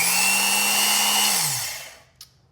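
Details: Vintage Rockwell Porta Band 725 portable bandsaw during reassembly after new bearings, seals and cord, motor run partly assembled: steady high-pitched whir with clean hum, running evenly, then smooth spin-down at switch-off; normal motor run.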